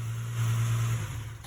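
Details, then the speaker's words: 2006 Ford Mustang 4.0 V6 after starter replacement (alternator also recently replaced), on jack: short steady idle hum, no knocks or misses, then switched off; nice and smooth. "we'll have Chris turn it on, see if it sounds the same, or it sounds good, before we put it off the jack, in case we got to take it back apart. Yes, sir. Nice and smooth. It's good."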